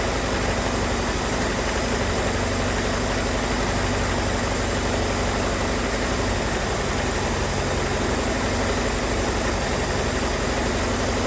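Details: 1978 Ford Mustang 2.3, first long run in decades after aluminum radiator install, with a vacuum leak: rough, busy idle with constant flapping chatter from the front; loose alternator belt.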